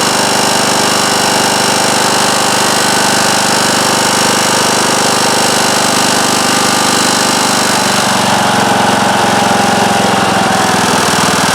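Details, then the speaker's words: Circa-2010 Craftsman riding mower with a 19.5 hp Briggs & Stratton single-cylinder engine, running at medium to full throttle (quiet at low). Loud uneven vibrating tapping in the roar, first blamed on sheet metal. Cause: flywheel magnets come loose; fixed by re-gluing them. "And it'll start and run, but it's making a loud vibrating tapping noise, and at first I thought it was maybe some of this sheet metal in there rattling against the side of the engine. It only happens at, medium to full throttle,"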